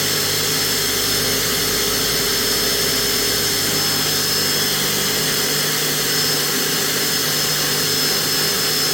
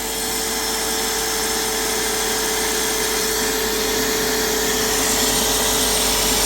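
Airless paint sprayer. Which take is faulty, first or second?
second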